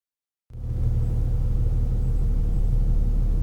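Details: Infiniti G37/Q60 cruising after a $20 sound-deadening fix, with no resonator and the exhaust untouched: steady, deep but muted rumble with no booming drone swelling in the cabin. Exhaust well damped; decibel meter showed a significant drop.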